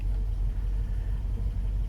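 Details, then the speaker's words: Mercedes W126 (M116/M117 V8) with a hard-start problem, after fitting NGK BP6ES (7811) non-resistor copper spark plugs: catches straight away and settles into a steady low rumble with no stumble or misfire; healthy idle. "Unbelievable. The darn thing cranks right up."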